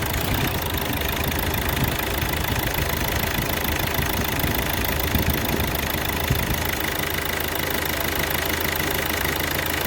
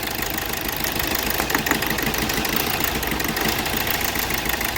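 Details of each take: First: 2012 Hyundai Verna Fluidic diesel idling evenly with light clatter after ECM repair; knocking and cylinder 3 injector misfire (injector circuit open fault) now gone, engine running fine. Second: 2012 Hyundai Verna Fluidic diesel at idle: rough uneven heavy knock about three times a second from dead cylinder 3; injector 3 circuit-open fault in ECM, very low supply to that injector, unplugging it changes nothing.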